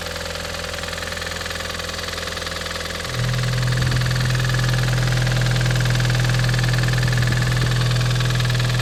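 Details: Audi TT 225hp BAM engine at idle: fast, even ticking clatter at about 3.5 taps per second. It is still present after replacing the lifters, chain tensioner and full timing. Compression reads 6.5 and 8 bar on two cylinders and 10 bar on the others. Cause undetermined.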